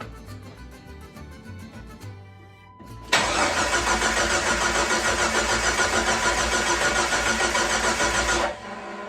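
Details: Jeep 4.0 after overhaul, third start attempt after replacing the old crankshaft position sensor: even starter cranking about three and a half pulses a second for five seconds, never catches; no-start.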